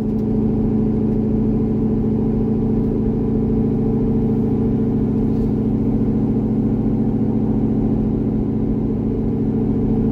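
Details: C6 Corvette V8 with aggressive cam and long-tube headers, part-throttle test drive on a revised HP Tuners tune: steady, even drone, no stumble or surge at light throttle. Smooth running.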